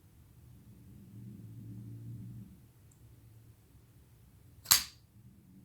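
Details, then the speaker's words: Tonto-blade flipper pocketknife on multi-row bearings: one sharp clean snap as the blade flicks out and locks, no grit or drag; well-tuned detent, normal deployment. "this little area here when you push it oh man that just snaps out"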